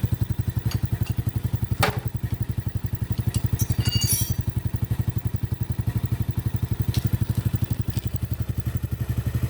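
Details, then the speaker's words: Honda Supra Grand motorcycle idling with a fast clatter, about four per second, from the cylinder head, plus a squeak; kick starting is heavy. Oil isn't reaching the head, with a clog or a failed oil pump suspected. "posisi oli ini tidak naik ya menjadikan motor ini pertama berat untuk starter tangan kedua suara menjadi kasar ketiga ada suara Cici cicit"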